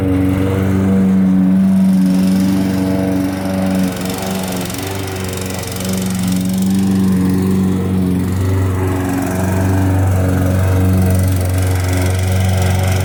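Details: Lawn mower after carburetor cleaned of dirt and overfilled oil corrected: steady, even drone at constant speed, no misses or surging, faint music behind; running normally after repair.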